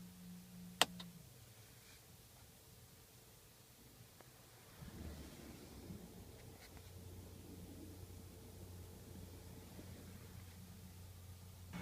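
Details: 2012 Toyota Camry Hybrid cabin at idle/EV mode after switching off OPT7 H11 LED low-beam bulbs: switch click, then near-silent cabin with faint low rumble, the humming-whirring noise gone.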